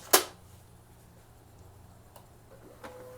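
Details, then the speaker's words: HP LaserJet 1018 printer starts with a sharp click, then a quiet low hum and faint steady tone with no grinding, after a foreign object stuck in the gear area was removed. "you guys you see now there is no sound something was stuck right down the uh this gear part"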